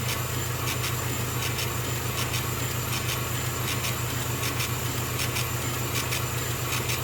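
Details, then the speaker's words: Small air compressor for a laser engraver, quieter than average, kicking in during engraving: steady, even drone with a regular light pulse just under two per second and no knocks. Normal air compressor operation. "now we calculate a wonderful little air compressor will keep kicking in that their first drop thankfully is not as noisy as average"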